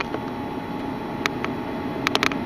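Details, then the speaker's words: 1997 Mercedes W202 climate control duo valve (heater water control valve), car off with ignition on: sharp little clicks over a steady hiss, normal solenoid clicking showing the valve is electrically good; clogged hoses suspected instead. "you hear that that's the Dual valve clicking so if you hear those clicking you basically know electrically you're good"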